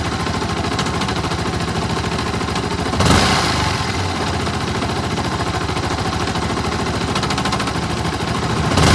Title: Yamaha R15 engine strange sound: connecting rod? decompression? timing chain?